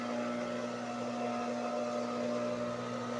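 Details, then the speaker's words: High-speed single-needle sewing machine motor that only hummed without turning, after capacitor replacement: spins up and holds a steady even hum with a clean whir, no stalling or buzzing. Fault was only the capacitor; running normally. "sa capacitor lang yung problema niya."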